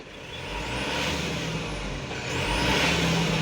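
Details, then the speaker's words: Mitsubishi Canter Euro 4 truck diesel with electronic throttle pedal: on a sudden full throttle stab revs hold near idle about 2 seconds before climbing, but rise directly with gradual throttle; power drops on loaded climbs. Throttle response lag. "injak penuh ya 123 Ini ada jeda 123 loh ada jeda kurang lebih 2 detikan RPM ini baru naik"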